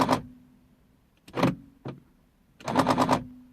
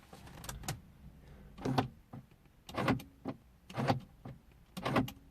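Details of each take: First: 2003 Mercedes C220 W203 driver door lock, would not lock even with mechanical key: rapid machine-gun buzzing rattles in short bursts as lock cycles, passenger side normal. Faulty central locking actuator. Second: 2003 Mercedes C220 W203 driver door lock after repairing a broken spring in the lock; crisp single firm lock and unlock clunks about once a second with no rattle or hesitation; normal door lock operation.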